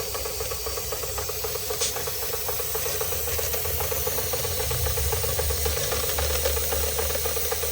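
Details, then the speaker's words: Marklin 16051 twin-cylinder steam engine, still running in (third or fourth run), original burner: quick even chuffing about four beats a second under steady hiss of safety valve releasing before red; normal running with safety valve venting. "It's doing its thing. Releasing steam before it gets to the red. It's a perfect setup."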